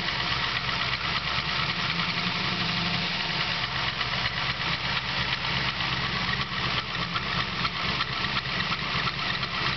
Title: 383 LSX Piston Slap and Squeak